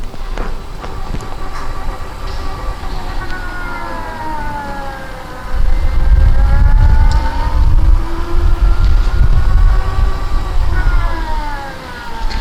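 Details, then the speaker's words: Hoveround MPV5 power chair with electric seat lift, 10 miles: smooth HD drive motor hum rising and falling in pitch as the chair speeds up and slows; these motors are noisier than regular ones, healthy. "these are the HD motors so they're a little bit noisier than the regular motors these motors you can hear them when they slow down and when they pick up speed you'll hear the humming which is great that tells you you have good motors"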